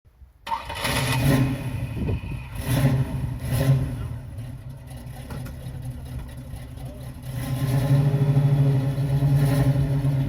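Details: 1968 Chevrolet Camaro V8 after a temporary taped repair to a damaged wiring harness: quick crank, engine catches cleanly, blips up a few times and settles into an even, strong idle; normal start.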